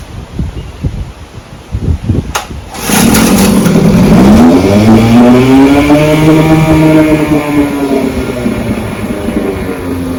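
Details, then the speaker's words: 1959 Johnson 5.5 HP two-stroke outboard after complete powerhead, magneto and carburetor rebuild, test run: cold start catches at once, settles into even steady buzz rising and easing smoothly; fine tuned, running clean and healthy. "there she is Larry powerhead rebuilt Magneto rebuilt carburetor tested fine tuned Auto's great ready to ship back to Larry"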